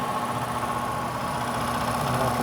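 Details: ICP heat pump air handler, no-heat call: blower motor stiff, steady droning hum with rough uneven whirr and faint high tone; failing blower motor, replaced.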